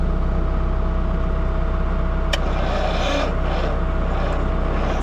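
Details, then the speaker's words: Jeep CJ5 long parked in weeds, jumped with cables from a tractor after a jump pack failed: heavy, labored cranking at about two and a half turns per second that never speeds up and won't catch; owner suspects a weak starter. "weak. Yeah, I mean, it sounds like we got a weak starter to me. That's all we're getting out of the starter."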